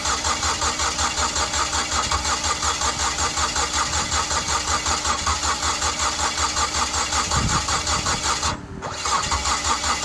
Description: The mazda familia sport 20 crank but won't start. This problem was resolved by correcting the timing . It seemed it had lost its timing.